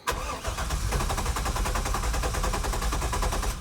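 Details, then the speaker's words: C8 Corvette-based Grullon with warm-start trouble, vapor lock suggested, cold start after sitting a week: long steady cranking about nine beats a second before catching. "nope it's not going to start there it goes"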